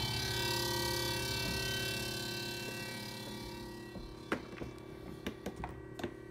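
Steady low hum with a faint high whine that fades, then scattered light ticks and clicks; an odd noise, cause unclear.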